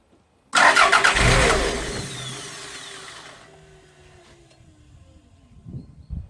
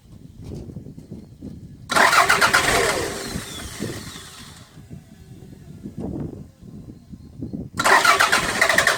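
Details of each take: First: 1992 Toyota MR2 parked six months, usually starting but stalling soon after: brief crank catches into a rev, then winds down and dies within seconds; fuel pump terminal reads zero volts with ignition on. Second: 1992 Toyota MR2 with a crank-start-stall fault, parked 6 months: cranks briefly, catches, idles unevenly, revs and keeps running with fuel pressure at 42 psi.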